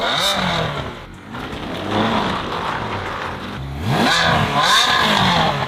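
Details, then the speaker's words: Ferrari 360 Spider V8 after full repair, head gasket condition still uncertain: engine pulls away cleanly and revs smoothly through the gears, no knocks or rattles; healthy running. "This sounds awesome."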